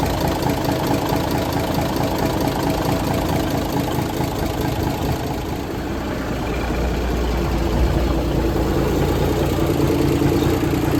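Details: 1978 International Transtar II cabover diesel, first start after sitting 3 years during restoration: deep, steady rumble with regular light idle clatter, no misses or hunting; engine runs fine.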